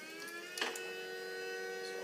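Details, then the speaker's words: BMW N55 with JB4 Stage 2 and ISO software, engine off: electric coolant water pump keeps running with a steady thin whir, draining battery; reconnecting vent removed for oil catch can install stops it, disconnecting restarts it. "I found that if you reconnect the vent that was removed when the OC was installed it turns the pump off disconnect this you'll see the pump will come back on comes back"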